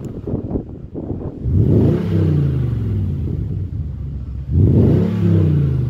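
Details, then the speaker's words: 2008 Jaguar XK 4.2 naturally aspirated V8 automatic, 121k miles, full service history, revved: two quick blips from idle, revs climb smoothly and drop back cleanly with no tapping or rattles; healthy. "and then let's rev the engine. It's beautiful, that."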